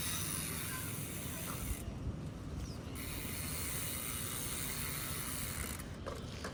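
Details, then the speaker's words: Bicycle hydraulic disc brake after pad fix: only freewheel ticking and a soft rush of the wheel, no squeal when braking. The earlier squeaking noise is gone. "And तो try करते देखते इसका sound गया कि नहीं and तो sound तो गया"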